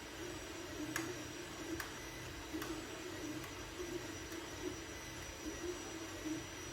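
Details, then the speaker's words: Anycubic Mega S 3D printer after hotend, mainboard and power supply fans were replaced with quieter ones; the stock part cooling fan is still noticeable: soft stepper warble, light tick about once a second, normal quiet printing. "The part cooling fan is still somewhat loud. Not loud per se, but it is noticeable. But with the other fans, you can barely hear them."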